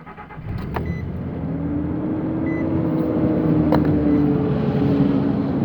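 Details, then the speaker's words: 2006 Nissan Frontier Nismo King Cab, cold start at −2 °C: a whooshing roar at idle, louder when revving, with the cooling fan always on max. Owner read it could be the fan clutch, but the fan spins freely by hand with the engine off. "now when I turn it on there's a sound it just goes into overdrive and this sound like a freakin hovercraft I'll show you what I mean"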